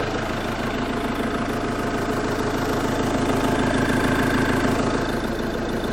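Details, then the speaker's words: 2017 Iveco Daily Gen 3 2.3 diesel idling after engine removal and crankshaft tone ring repair (damaged ring caused engine light), clutch refitted: even, steady clatter, no knocks or bangs, nothing dripping; healthy idle. "Well, that sounds good. Don't hear any knocks, don't hear any bangs."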